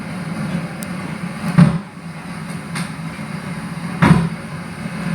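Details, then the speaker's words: Amplifier with no music playing: occasional sharp pops and crackle through the speaker over a low hum; speaker crackle from the equalizer lamp supply. "keratak Kretek keratak ketek di speaker jadi contohnya di speaker seperti ini sahabat-sahabat"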